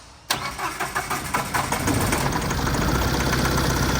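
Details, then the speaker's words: Tata 2.2 common-rail 140 hp diesel dump truck, a long-parked no-start, after an engine wiring harness swap: it cranks, catches and idles lumpy on fewer than all cylinders with the check-engine light on, as an injector in cylinder 2 is not firing. "เดินไม่เต็มูกแปลกๆนะอ่าเครื่องสัจับเครื่องก่อนที่ไฟมาโชว์นะที่ไฟรูปเครื่องโชว์กับเช็คenginโชว์ตอนแรกที่ถ่ายไว้หลักๆเลยอ่าเดี๋ยวมาเช็คหัวฉีดนะฮะว่าหัวฉีดทำงานมอันนี้ก็คือเหมือนหัวฉีดไม่ทำงานนะฮะไม่เต็มสูบนะฮะ"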